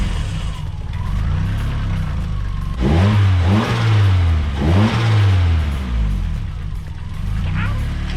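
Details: Nissan S13 turbo, revved after the exhaust manifold-to-head bolts were tightened (one was found loose): clean rise and fall of revs with no ticking or rattle over the exhaust note. Owner thinks the exhaust leak noise is fixed.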